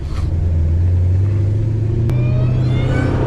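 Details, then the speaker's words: Dodge Hellcat Redeye V8 passing: heavy roar with a high supercharger whine climbing alongside the revs; the blower is very loud but healthy. "Oh my god, dude, that blower is so loud."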